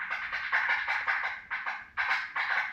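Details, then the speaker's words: Old Viper 650 Classic car alarm on a 1992 Mustang, removed for an upgrade to a Viper 3305V: the red-wired siren gives short high chirps about twice a second instead of a continuous wail. The siren is worn out and nearly dead. "this Red's a siren as well and um that one sounds like it's pretty much dead it just chirps"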